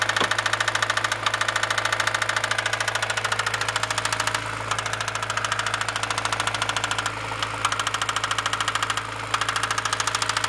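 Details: Honda B16A engine knock at idle, persisting after clutch released and shifted to neutral: sharp metallic tick about twice a second, evenly spaced and persistent; source not pinned down.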